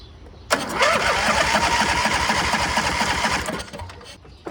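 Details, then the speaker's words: MTD Gold garden tractor with a 26 hp Briggs & Stratton engine, left sitting, spark confirmed: it catches and runs rough on gas poured down the carburettor, then dies. No fuel reaches the carb although the fuel pump works, and the fuel shutoff solenoid is suspected. No fuel delivery to carburettor. "We got fire. Kind of seems like we don't have fuel getting to the carb."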